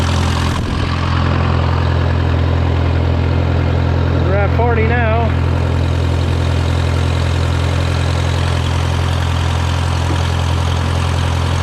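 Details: Case VAC tractor idling after a new aftermarket water pump replaced the one that let it overheat to 80°C after a coolant change; coolant flowing and hot, gauge near 40°C. Steady, even idle with a deep smooth rumble, no knocks or surging; healthy.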